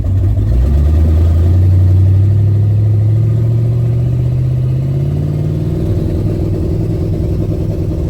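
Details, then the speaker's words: Ford Fairmont with twin-turbo 454 big-block V8 on two-step launch limiter: deep steady drone, pitch creeping up as boost builds to about 2.7-3 lb. Launch limiter holding revs. "that sounds a little better doesn't it sounds more like a turbo car let's stop the day log and look at that so we actually built some boost this time almost 3 lb of boost"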